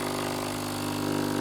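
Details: Philips LatteGo espresso machine after long standing, startup rinse: steady buzzing pump hum with slight pulsing flutter, no water from spout; fault from worn O-ring seals.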